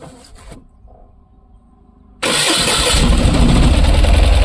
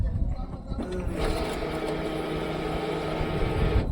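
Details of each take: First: Tata Ace Gold BS6 petrol pickup, after refitting the tank: cranks, fires and runs loud a few seconds, then fades and dies; starts then stalls, scan shows engine management DTC for cylinder 2. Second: Tata BS6 petrol at key-on after restoring the fuel pump supply connection: a steady electric whir runs evenly for about three seconds, then stops. The fuel pump is priming normally, the test bulb lights, and the car then starts.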